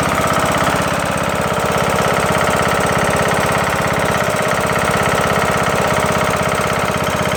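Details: Briggs & Stratton engine on a Craftsman LT2000 mower, after replacing a broken camshaft and timing gear: heavy, fast, regular knocking about three per second, with power loss and struggling in thick grass; owner unsure, maybe something hitting.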